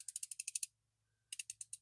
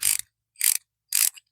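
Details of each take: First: Bonney R45 ratchet after cleaning out caked mud, grease and grime with brake cleaner in a 42°F shop: crisp, rapid, even clicks in bursts of six to eight per swing; normal ratchet clicking. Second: Ratchet being cleaned with spray in a 42°F shop: short bursts of gritty, scratchy clicking about every half second as it is cycled; improved but dirt is still in the mechanism.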